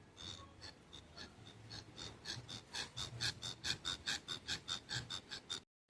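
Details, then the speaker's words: Old serpentine belt tensioner from a Lexus RX350 3.5 L V6 (2GR-FE), held in a vise and pushed by hand: unusual rhythmic rasping scrapes about two a second, pivot sounds worn and dry; tensioner being replaced. "And when I push on it, I don't know if you can hear that. There's a unusual noise that it makes."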